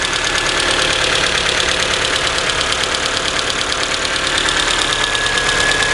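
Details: Engine idling with light quick ticking, about three per second, from the head after valves were adjusted twice and rocker assembly removed; cause unknown.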